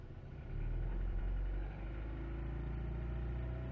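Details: 1998 Jetta: low lumpy idle with an uneven stumbling beat and a brief surge; misfire, cause not pinned down, unstable idle, cuts out at 5100 rpm, dies after load unless given throttle when cold.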